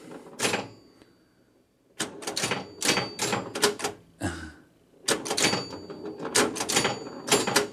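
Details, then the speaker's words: Bally Safari electromechanical pinball machine bell: each sharp ring is followed by a dull clunk (ching, clunk) as the coil shuts off and the plunger falls back unchecked, because the bell coil's rubber stop is missing. "Okay, that clacking you're hearing, you're hearing a ring, a ching, and then you hear a clunk, ching, clunk, ching, clunk."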